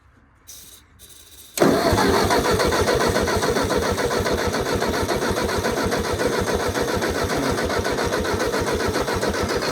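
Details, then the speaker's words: Old Ford Jubilee half-track tractor, unrun five years, on a borrowed 9N battery: steady starter churn about three and a half turns a second, never catches; cranks, no start. Owner suspects carb or spark issue; very weak spark found. "Well, I think we're gonna have to pull the carb off. Still should have tried to fire, even if it is the carb. Might have a spark issue."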